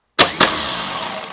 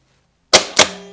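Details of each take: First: Starter run during a voltage drop test with a voltmeter paralleling the positive cable; two sharp engagement clunks, each followed by a steady even whir, spinning freely, needle barely moves, so hardly any voltage drop. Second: Starter on a bench with the cable unhooked from the solenoid battery post to simulate a bad connection: two sharp metallic clicks and a fading ring, no cranking. The solenoid clicks but the starter does not turn.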